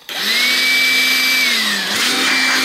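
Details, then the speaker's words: Makita XLC02ZW cordless compact vacuum on a slide-rail battery, switching on: the motor spins up in a fraction of a second to a high, steady whir with a slight pitch dip, running normally and quieter than the previous Makita vacuum. "It's not very loud. My last Makita vacuum that I had was a lot louder."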